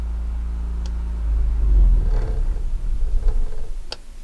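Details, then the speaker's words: RVMP Flex Power 4000i generator started remotely from an RV's existing coach control panel: a steady low hum, running nicely with the hour meter on. It then winds down to a stop with faint ticks when the stop button is held. "fire it up take my finger off you can hear the generator running nicely our hour meter has turned on"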